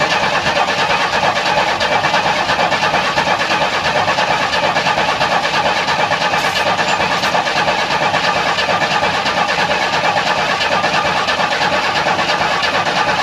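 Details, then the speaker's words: 1994 Chevy Astro van with a replacement engine and a fuel pump fitted about a year earlier: steady starter cranking at about ninety turns a minute, never catches. It is a crank-no-start; no fuel pressure or no spark, and the owner suspects no spark. "okay no start I don't know if I have no fuel pressure or I have no spark"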